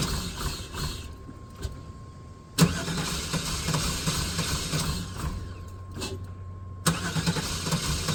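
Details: Neglected OBS GMC/Chevy V8 truck just after start-up, following long storage on old gas: the idle lopes and stumbles with an uneven beat instead of a smooth hum; it is not running on all eight cylinders, cause unconfirmed.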